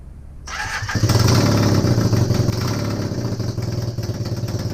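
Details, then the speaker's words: Honda CB250N Superdream twin project bike with new spark plugs, on partial choke, restarted without starting gas. It starts quickly, then settles into an even, steady low putter, firing regularly with no knocks or misses. Normal idle; large oil leak from the engine front. "i'm just so bloody happy right now finally we got some life out of it"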